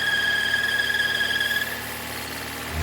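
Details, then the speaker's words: 2017 Volvo V40 2.0 petrol at idle with intermittent self-raising revs: loud steady high squeal that cuts out as the oil cap is released, engine note dropping; faulty blocked PCV valve pulling strong crankcase vacuum. "You can hear the squealing noise there already. It might start picking up in a minute."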